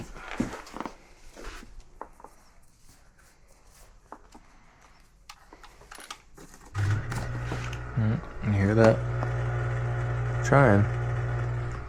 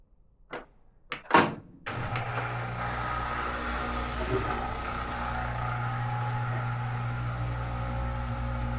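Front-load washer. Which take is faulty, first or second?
first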